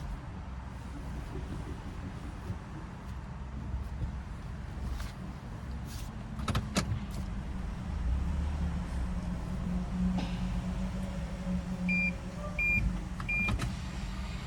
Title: Ruido al girar el volante TOYOTA RAV4 2023. - PROBLEMA DIRECCIÓN ASISTIDA #toyotarav4 #toyota